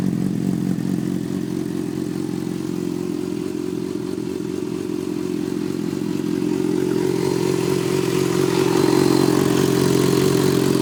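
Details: Yamaha FZ6 idling with a light, fairly even tick about three or four a second, then a rev blip; owner wonders if it is the normal FZ6 ticking, cause unclear.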